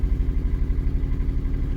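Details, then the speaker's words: 2011 Chevy Aveo started after dead-battery recovery with charger: rough, lumpy idle with uneven chuffing, a dead miss from one cylinder. "it oh it's a beautiful thing it's got a dead Miss in it though he did mention"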